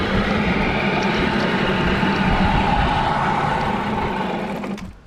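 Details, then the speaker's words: Rebuilt Nissan Tohatsu 9.8 hp two-stroke outboard, new piston rings, new carburetor not yet set: buzzy fast, fairly even beat, then sags and dies near the end; idle and mixture still need adjusting. "Okay, people. This motor's giving us a heck of a hard time, but like the Castaway, we made fire!"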